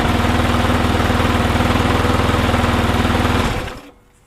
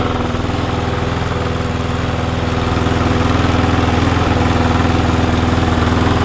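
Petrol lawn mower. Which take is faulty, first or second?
first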